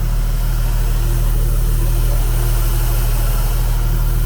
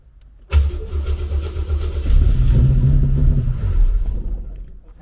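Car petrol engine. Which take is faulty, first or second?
second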